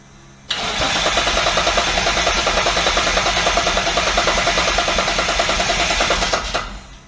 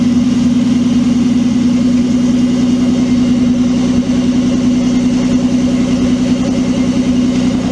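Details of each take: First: Twin-turbo Mitsubishi Triton with a 3.0L 6G72 V6, set to base ignition with crank timing at 0°. Steady, fast cranking at about 200 beats a minute for six seconds that never catches. It has spark and fuel. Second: Twin-turbo Mitsubishi Triton, 3.0L 6G72 V6, new ECU, in 40° heat: steady, even idle with a smooth firing beat and no knocks or misses; engine runs clean and healthy.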